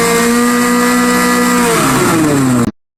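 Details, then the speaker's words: Restored 1986 Bass Tracker at wide open throttle, 32.6 mph: high, steady buzzing drone held flat out, then the pitch falls as the throttle comes off; it pulls cleanly at full throttle. "32.6 miles an hour wide, slap open, and it is nothing but pure piss and vinegar."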